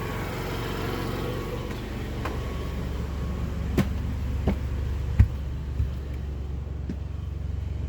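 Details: Yamaha generator with NPS eco kit under air-conditioner load, one AC having raised it to about 58 dB from 55 at no load: steady low hum holds its pitch as the load comes on, only a few light knocks from around it; generator running healthy.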